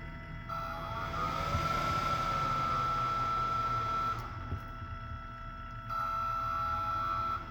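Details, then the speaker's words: 12 V camper vent fan (two fans in one unit) run on a battery, slowed by a rheostat: steady airy whir with a high whine dipping and returning as speed changes; fan runs too loud for all-night winter ventilation. "wouldn't exactly call this deafening, but I wouldn't want to try to listen to this thing going all night long on a winter night when you're trying to keep a little airflow going. That's just going to be too much."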